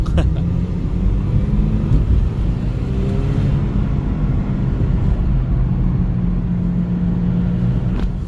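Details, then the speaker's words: Toyota RAV4 on test drive after rear drive shaft installation, windows down: loud, raspy low rumble while driving and accelerating from a really bad exhaust leak; humming from a tire also noted. "all right so this uh vehicle got really bad exhaust leak I told the guy that needs to fix that leak it's really loud I don't know if you can hear it"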